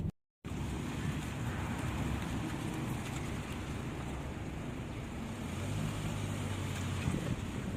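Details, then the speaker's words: Chevrolet Malibu, 80,000 km, after replacing faulty aftermarket left front lower control arm and ball joint plus leaking shock absorber: only tyre rumble and wind over rough road, no front-end clunks; quiet suspension. "然后没有换总成的，就单换了一个减震器，没有换弹簧。现在走烂路的时候就不会响了。"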